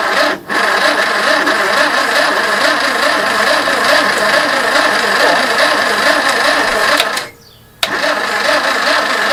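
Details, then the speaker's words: Barn-find 2CV flat-twin three-wheeler stored 25 years, choke pulled, fuel pump working: slow uneven cranking churns, pauses, resumes, never catches; starter overheating and slowing. Crank no start. "những gì chúng tôi nhận được là bộ khởi động bây giờ quá nóng và nó bắt đầu chạy rất cục và chậm"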